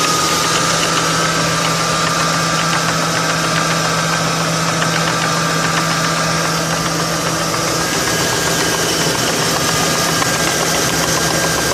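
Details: 2002 Ford Crown Victoria P71 at idle: quick light ticking about four per second, lagging slightly behind revs; broken plastic PCV oil baffle flapping against the cam lobes.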